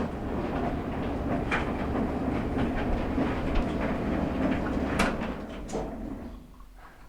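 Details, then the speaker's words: Maytag LDG8426AAE gas dryer on startup: steady low rumble with uneven knocking about three to four times a second; blower wheel spinning freely, loose on the motor shaft. "and what it sounds like is it sounds like the blower wheel uh spinning freely on the motor shaft"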